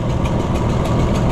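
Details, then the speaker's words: Junkyard Oliver Super 77 tractor in neutral after new carburetor fitted: low lumpy idle, uneven beat with sharp pops, one cylinder missing; manifold leaking and not sealing, sucking air; smoking from a bad cylinder wall, cause suspected. "But that could also be part of our missing problem. The smoking is from the bad cylinder wall. It really doesn't run too bad for what it is, but you can hear it sucking."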